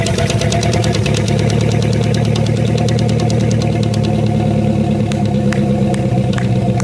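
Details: 1999 MasterCraft MariStar boat, newly installed TBI engine first start on hose after fresh battery: smooth, even idle, steady low rumble, no knocks or misses; oil pressure great, charging, running great.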